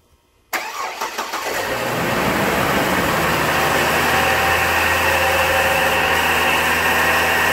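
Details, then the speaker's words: 2004 GMC Envoy XLT, 4.2L I6, about 250,000 miles, cold start on a mid-20s morning, oil pressure gauge fluctuating; idle carries a constant whirring, bearing-like hum despite new tensioner and idler pulleys. Source not yet pinpointed. "I have yet to pinpoint a what sounds like a bearing noise in the engine compartment I have already replaced both pulleys the tensioner pulley and the idler pulley and the noise is still there particularly on cold mornings"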